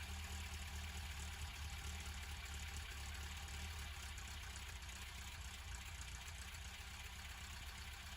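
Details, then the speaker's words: 1989 Ford Escort MK4, cold start after almost a year unused: steady smooth idle, no misses or knocks, no choke needed. "and incredibly as you can see he ran no choke needed just idle perfectly and it hasn't been started in almost a year"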